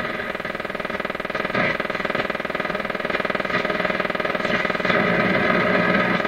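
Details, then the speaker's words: PYE 39HC shortwave broadcast receiver on AM broadcast band, antenna in the wrong place, after capacitor replacement: steady low putt-putt about four beats a second under broadcast audio; suspected motorboating oscillation, cause not confirmed. "so that that sound could be motor boating in the radio and that that really does sound like motor boating to me"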